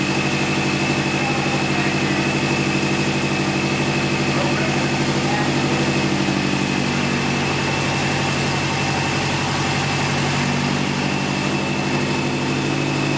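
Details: Subaru STi after engine replacement, second start, heat-wrapped turbo and exhaust smoking; strong, steady uneven-firing boxer burble at idle with constant pitch, no knocks or misses; oil pressure, coolant, power steering and A/C all working; normal idle.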